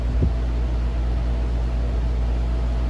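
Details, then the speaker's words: Vintage Turkish RAKS DF-12TK desk fan, on speed one after lubrication (was seized), gearbox plunger repair and cleaning; steady even airy whoosh over low hum, no rattle, tick or wobble; normal running, powerful. "I'm pretty sure I didn't pay more than $5 for this thing, but it's a pretty good fan. It's pretty powerful."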